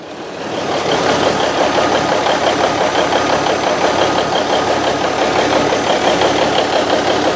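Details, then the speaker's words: 1971 Autocar A64F with Cummins diesel, started in neutral after shop compressor charged air to almost 60: steady idle with a sharp puffing tick on each firing pulse from an unfixed exhaust leak that lets out a little smoke. "Still gotta fix this exhaust leak though. Lets out a little bit of smoke."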